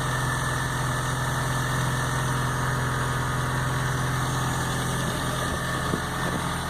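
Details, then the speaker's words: 1997 Rover Mini Cooper MPI after a year in storage, replacement MEMS ECU coded with T300: engine runs steady and even but noticeably above normal idle; high idle, owner thinks throttle cable needs adjustment. "seems you running all right idling a bit high oh yeah I think it's alright I just needs a bit of adjustment on the throttle cable"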